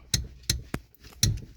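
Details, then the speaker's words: Car clutch pedal pressed and released: sharp metallic clacks about every third of a second, caused by the deteriorated rubber pedal stop bumper that fell out, letting metal parts hit; fixed by replacing the bumper. "มันลูกยางมันหลุดหายไปครับมันน่าจะเป็นการเสื่อมสภาพของลูกยางรองขาค่าตรงนี้"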